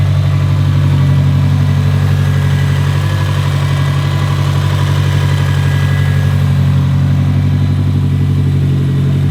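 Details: 2017 Subaru STI (VA, 400whp build), just repaired, idling after an oil change while warming toward operating temperature: smooth, steady low burble with even firing and no ticks, knocks or misses; healthy idle.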